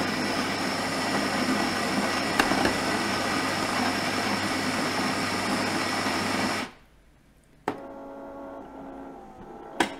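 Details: Nivona coffee machine, two months old, with a brewer head that had been knocking, sticking and not making coffee, tested after head cleaning. Even whirring drone of about six seconds, then a couple of light clicks; a strange brewer sound was still noted.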